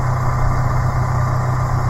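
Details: 2017 Suzuki APV manual minivan on ramps, idling after an oil change; smooth low steady hum with no ticks, knocks or wavering; oil pressure confirmed, no leaks at drain bolt or filter, drive belts look good.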